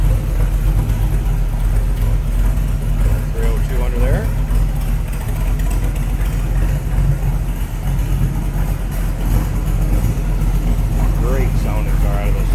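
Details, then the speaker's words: 1966 Shelby Cobra replica, 302 V8 with side pipes, warmed up: deep even burbling rumble at low idle, no misses or ticks. Normal V8 idle. "First off, I'm going to step back so you can hear this on low idle. Listen to that. Beautiful rumble out of that 302."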